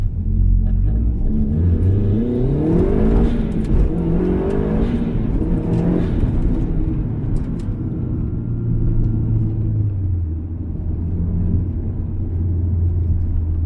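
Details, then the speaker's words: Subaru STI (high-horsepower tune, dual fuel pumps) accelerating from a rolling start on the road after the ignition coils were replaced: engine note climbs smoothly through the revs and settles back without stutter or bucking; it pulls clean with no misfire. "Not bad. Pretty good, huh?"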